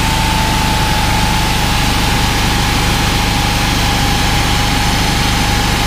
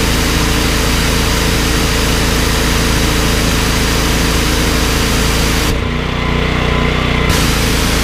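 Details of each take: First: Honda GX390 13 hp engine driving a 21-litre pressure washer pump: a steady single-cylinder drone with an uneven beat that dips in speed as soon as the trigger is pulled; the engine labours under the pump load. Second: Briggs & Stratton XR2100 14 hp engine driving a 21-litre pressure washer pump: a steady, even drone that dips only slightly when the trigger is pulled, then holds speed without stalling. Starts easily; normal running under load, unlike the Honda GX390.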